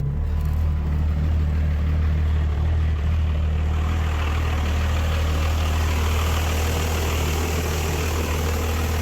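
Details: Rebuilt 5.9 Cummins diesel pickup swap, cold start at 21 degrees after jump start for suspected low battery voltage, about 8 cranks, no throttle; deep, slightly uneven clatter with smoke, settling into steady idle on all cylinders.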